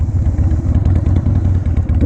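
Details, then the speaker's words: Used 2001 Harley-Davidson 1200cc V-twin: deep, loping, uneven-fired thump at idle, strong and loud but steady with no clatter; healthy engine with a loud exhaust. "bike sounds good there's definitely loud probably louder than what my neighbors live"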